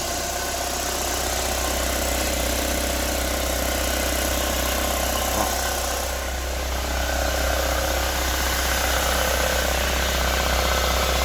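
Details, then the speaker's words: 2005 Chevrolet Corsa 1.6 8v at idle: a regular ticking rattle about four a second, heard only while the clutch pedal is pressed and gone when released. It seems to come from the flywheel or crankshaft; a crankshaft problem is suspected again. "Parece que vem do volante do motor ou do vira."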